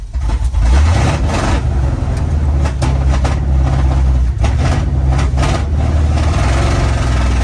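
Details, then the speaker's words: 1972 Chevy K10 4x4 with 350, sat 20+ years: engine runs rough, surging as throttle is pumped, unable to settle into idle and stalling; fuel pump suspected of not pumping, worsening the more it was driven. "We can't die here. Won't stay running. I don't understand why."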